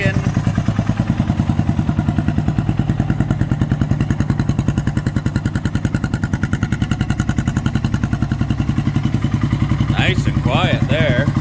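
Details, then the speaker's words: 1997 Suzuki Savage 650 single, after timing chain tensioner modification to cure a ticking, clacking noise, revving: single-cylinder thump runs even at about three beats a second, no chain clatter; quiet and healthy, normal revving after repair. "give her a couple of rabbits nice one nice and quiet [Laughter] all right well that's a huge relief that's sounding much better"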